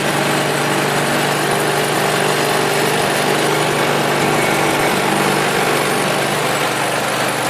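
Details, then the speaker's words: Ariens snowblower small engine running after drive belt fix (spring reconnected to reduce arm angle so belt stops coming off pulleys): steady even drone, constant pitch, no belt slapping or squeal; normal running, belt stays on. "and as you can see now that belt will not come off that should fix her problem once and for all"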